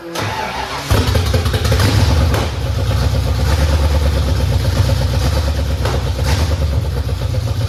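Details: 1989 Mustang GT 5.0 carbureted V8, high-mileage stock shortblock, GT40 heads, mystery cam, longtube headers, first start in a while after fuel pump reconnected: fires first try, settles into deep steady rumble through open headers, no misfires; normal start and idle.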